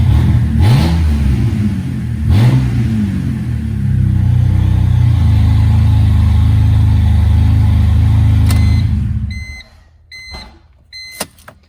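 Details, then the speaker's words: 2007 BMW E86 Z4 3.0si Coupé with stock exhaust removed, straight off headers and cats, in neutral; deep booming idle swelling into loud throaty revs, tractor-like at low rpm; exhaust without mufflers. "actually sounds quite similar to the way it did before only a lot bassier a lot deeper it sounds um i know this is probably gonna sound bad but actually sounds a bit like a tractor like an old i don't know 1960 international straight six or something at those low rpms"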